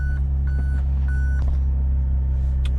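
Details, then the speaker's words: 2004 Mazda RX8 rotary that sat for years, with new coils, plugs, wires and starter plus fluid flushes: a smooth, steady cold-start fast idle at 1700 rpm, coolant 22 degrees, beeping in background; engine light suspected secondary air pump. "all right we're reading here RPMs or revs are at 1700 right now because it's cold start"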